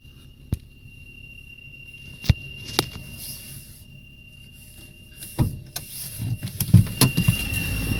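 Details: Opel Corsa C: thin, steady high-pitched squeal rides over the engine the whole time with a few knocks around it; suspected accessory belt squeal, not confirmed.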